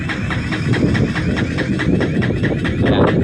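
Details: Honda XR200 hard to start, only runs on choke: starter cranks steadily but engine won't catch; clogged carburetor channel/jet suspected, fuel on, tried reserve.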